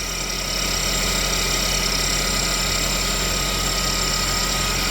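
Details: GMC engine after a head gasket redo, with timing chain found half a link off, idling: fast, uneven ticking rattle over a harsh hiss. Unusual running noise; the cause is not confirmed.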